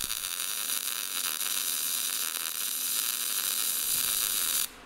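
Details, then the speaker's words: MIG welder, short-circuit welding with gas, wire speed turned up past the setting matched to the voltage: harsh, crackling arc with uneven pops; wire feed speed too fast, to be turned back down. "right, that was too fast, so now we'll put it back down where it just was."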